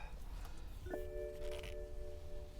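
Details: 2010 BMW 535i GT at salvage auction, in park: ignition recognizes key and soft dash chimes ring with rear air-suspension pump running, but no starter or engine sound; warning chimes, no crank.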